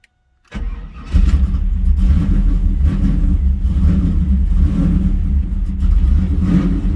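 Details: F-body car after Aeromotive 340 lph fuel pump upgrade: cranks briefly, catches within a second and settles into a steady, deep, even idle with no stumble; healthy start, no leaks.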